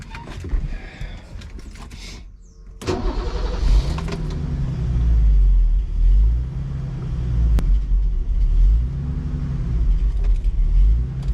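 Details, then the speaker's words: Turbocharged BMW 733i E23 on first drive, modified fuel rail: idle rises and falls about every two seconds in a steady hunting surge with no load. "Getting that surge again, so I'm going to turn it off, turn it back on."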